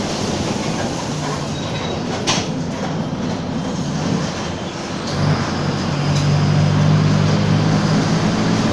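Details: Torino 2007 bus on an OF-1722M chassis, line 314, recorded 19/11/2018: low droning hum swells and climbs as the bus pulls away under load, growling over the engine; roaring (roncando), worn differential.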